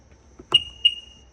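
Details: 2001 Sea-Doo GS that gave no DESS beeps and wouldn't start, after replacing the burned second-from-bottom fuse by the computer under the front: two short high chirps on key-on; DESS now responding normally.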